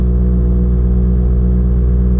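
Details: 2017 WRX Air Lift 3P dual Viair 444c compressors, about 2.5 years old, run after a blown 30A fuse was replaced: deep, steady droning hum with no rise in pitch; a bad check valve was found, and the worn pump kept blowing the fuse.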